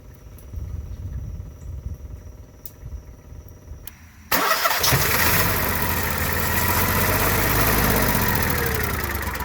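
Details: Onan Marquis Gold 5500 generator, which earlier would only run on a manipulated choke, after a first carburetor cleaning and priming: quiet, then loud steady churning as it cranks but never settles into an even run; won't start.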